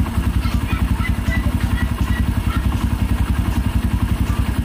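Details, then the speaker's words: Kawasaki Barako 1 (175) single-cylinder idling after a new idle gear and a rebushing of the clutch housing; the earlier rattle from the loose idle gear and clutch housing is gone. An even idle beat with no rattle. "Nawala na kasi yung alog ng idle gear natin, tapos yung clutch housing natin, bagong rebushing na rin."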